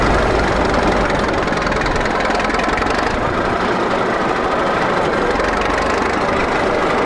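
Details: 1941 Caterpillar dozer that sat for years: old diesel settles into a steady, even idle rumble with no knocks or misses. Pushing the lever forward shuts it down, so it only idles. Normal idle.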